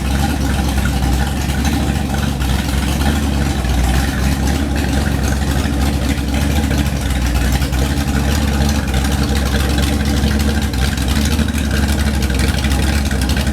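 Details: Freshly rebuilt 1970 340 V8, .030 over, 10.2:1 pistons, Comp cam 525 lift 289 duration, Edelbrock LD 340 intake, J heads with 2.02/1.60 valves: deep, heavy, even rumble holding steady, no knocks or misses; smooth healthy idle.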